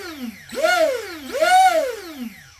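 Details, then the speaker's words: Arrma Kraton 6S EXB 1/8 RC truggy on 6S, driveshaft moved aside; piercing whine rising and falling as motor spins up and coasts, no vibration or grinding, source located at motor; cause not yet confirmed: high-pitched whine. "you can hear the high pitch noise however there's no vibrations or anything like that coming from the Mot wow that's high pitched right"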